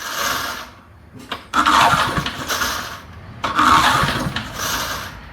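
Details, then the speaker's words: Early-1970s BF Goodrich push mower engine, a seized barn find now freed and spinning over well, is pull-cranked twice with a rough whirr but never fires; a spark tester shows no spark, and the next step is cleaning the ignition points. "no spark I'm not seeing any spark on this fella well that doesn't surprise me at all"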